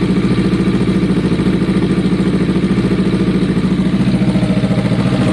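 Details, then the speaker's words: Kawasaki ER-6n project bike, first start after spark plug change and air box removal, old fuel still in lines on a weak battery: steady, lumpy idle with a rough, chuffing exhaust note; cause of the odd sound unclear. "That's the sound. That exhaust sounds interesting."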